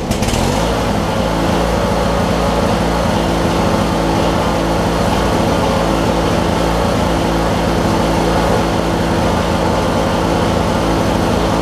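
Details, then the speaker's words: Craftsman LT1000 with Briggs opposed-twin and 4-screw Nikki carb, returned for cutting out and not restarting hot; after cleaning the flywheel magnet and regapping plugs to about 0.020: a deep, even rumble firing on both cylinders, restarting easier. Normal running. "listen to the rumble this thing's got on it oh how well the cameras picking that up Wow the thing that's a world of difference all I did was clean the clean the flywheel magnet recap the plugs like 20 thousands"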